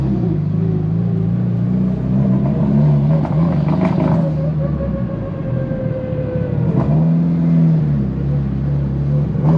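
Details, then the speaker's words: Tial BOV just installed on a car started cold that morning: revs stumble, pull down and surge under throttle, bogging at idle; owner thinks it feels like fuel cut but smells very rich, cause unconfirmed. "well she's still running really rough and she's like bogging down an idle whenever you give it gas so I'm thinking maybe the I'm just thinking probably there's it feels almost like a fuel cut but it also smells like it's running really rich"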